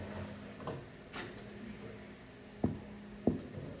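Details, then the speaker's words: Solar Fox arcade game with a known-good amp board swapped in from Satan's Hollow: over quiet room hum, single sharp irregular clicks about once a second and no game audio; clicking from speaker, sound board suspected faulty. "now it's still making that clicking sound nope see it's something with the board has to be yeah it's still doing that same sound"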